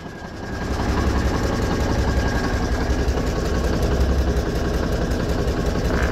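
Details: 1985 GMC General diesel idling after new ribbed belt fitted (it kept throwing the belt; water pump pulley to be cleaned): steady, even smooth low rumble, no misses or knocks; healthy.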